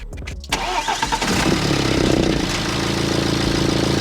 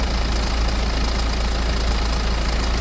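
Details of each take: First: 2008 BMW E90 320d diesel after the rattly timing chain, a pulley and other parts were replaced. It cranks and catches quickly, then settles into an even, steady idle with no knocks or rattles; normal idle, though the turbo still needs work. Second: 2008 BMW E90 320d diesel before timing chain replacement: heavy idle with busy clattery rattle over the rumble from the timing chain; engine ran smooth after the chain and a pulley were replaced.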